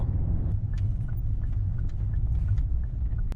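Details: Genesis BH interior while driving, after about 10 hours of cabin rattle removal around the center console, gear lever and driver door: steady low road rumble with no rattles or buzzes from the trim.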